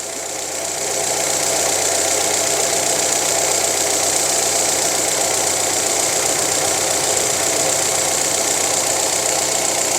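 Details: Fiat Palio 1.0 petrol engine idling evenly after ignition coil replacement fixed intermittent misfire: steady hissy whir, light regular ticking, no misfire stumble.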